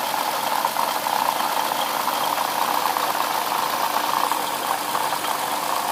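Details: '07 Lexus IS350 idling: even idle with a fast, fine, steady metallic rattle and chatter from the front side of the engine; owner suspects a bad water pump, unconfirmed.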